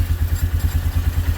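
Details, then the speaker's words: 1998 Polaris Sportsman 500 4x4 that cranked but wouldn't start, now starting right up after the white-and-black wire was cut and disconnected. Quick, even low thumping idle about eight beats a second, holding steady; normal idle. "come on go to the middle there you go now start right up"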